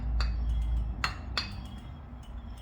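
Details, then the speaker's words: Bike rear wheel on stand, spoke pairs squeezed at the crossings: a few light irregular metallic tinks; loose spokes on that side. "So now I'm going to show you, hopefully you can hear it, the kind of noise that you can expect when your spokes are a little bit loose."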